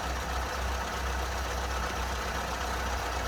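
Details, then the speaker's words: Mini after tune-up with new carburettor, modified ABX needle, 1040 oil in the dashpot, timing set: steady, even low idle with no stumble, knock or hunting; running smoothly. "and this one runs lovely and you can see with a new carburetor this one runs"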